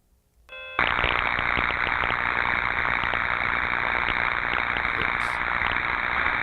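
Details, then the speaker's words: Ultrasound recording of what is thought to be a 4160 V transformer: a dense crackling hiss with sharp, irregular pops on top of a 60 Hz harmonic, suspected destructive electrical discharge with tracking. "you hear that popping what did we say popping is associated with discharges"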